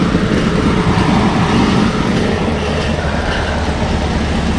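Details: 1977 Lincoln Continental Town Coupe V8 revived after sitting: steady, even idle with a low smooth rumble and no knocks or misses; faint fan whir on top; a fuel leak was spotted afterward.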